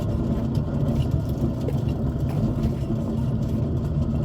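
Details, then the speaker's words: Car jacked up, rear passenger-side wheel turning, mic underneath: continuous loud, rough, grainy droning growl, unlike the quiet driver's side; worn rear wheel bearing, with slight weight felt, to be replaced. "That's very, very loud. Surprised it wasn't louder in the car. Tiny bit of weight in it, but mostly just horrific wheel noise."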